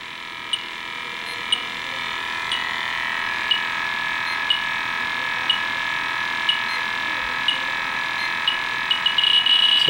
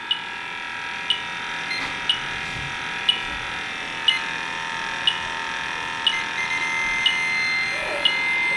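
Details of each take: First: Fieldpiece SRL-8 refrigerant leak detector tested on a Yellow Jacket HFC reference leak (gel). Steady high whine with a tick about once a second that speeds up as it alarms. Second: Testo 316-4 leak detector at Yellow Jacket HFC reference leak (R410a-type refrigerant): sharp high beeps about once a second over steady electronic tone, detector signalling refrigerant.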